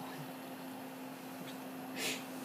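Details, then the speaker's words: Dell desktop cooling fan after being reversed to blow out, lid on, with no auxiliary fan used anymore and Arctic Silver applied, fixing noisy overheating: faint, steady low hum with no rattle or whine. "And now with air blowing out, I don't use the auxiliary fan anymore. [WITH THE LID ON] This blowing out is quiet."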